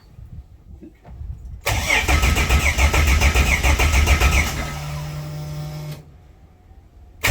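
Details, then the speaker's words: Toyota Coaster after engine swap, fuel system and harness newly set up, first start: cranks briefly, catches cleanly, revs, settles to steady even idle with no misfire or knock; transmission oil cooler leak noted. "Well, it runs. We have a transmission oil cooler leak, but hey, it's alive."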